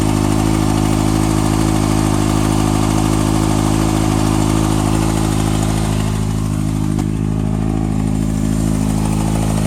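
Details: 2014 Kawasaki ZX-6R ABS, 8000 km, last service at 5.5k, Graves slip-on exhaust: steady idle with a light, fairly regular ticking, about two to three ticks a second.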